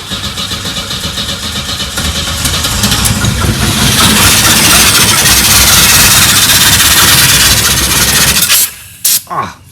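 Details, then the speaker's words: 1984 Pontiac Fiero unstarted for over 30 years: the starter cranks and the engine roars a few seconds on sprayed fuel, then dies abruptly. Fuel starved; owner hopes the gas tank is still good and the fuel filter not clogged. "we need to get some fuel to it is it possible that the gas tank is still good and that fuel filer is not clogged is it possible it might be"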